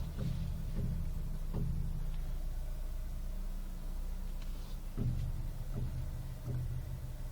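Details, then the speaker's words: 2005/2006 Citroën C3 Exclusive 1.6 16v Flex, electric power steering: sharp drum-like knocks or snaps when turning the wheel, especially left, while stationary or maneuvering slowly, seeming to come from the right side; owner suspects the steering rack. "É sempre ao virar à esquerda, esse barulho tipo um tambor quando vira, ó. Parece vir do lado direito ou sei lá, sempre quando vira, ó."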